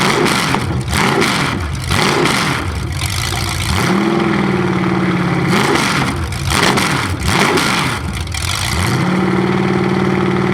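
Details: 427 big-block Chevy V8 on an engine run stand, first fire after sitting a long time; distributor timing just adjusted, possibly the wrong way. Open-header idle with steady lope, revs cleanly up and down repeatedly, no misses; normal idle and revving.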